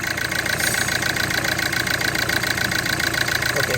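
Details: Hyundai i20 with an ECM problem, misfire and no power. Uneven, lumpy idle with a regular ticking pulse around three and a half per second, indicating a misfire.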